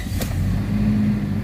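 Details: Toyota Fortuner 2.7 petrol, which had a check-engine light and an unresponsive throttle, after a new throttle body was fitted: the warning light is now off and the engine settles to an even idle with no stumble; normal idle.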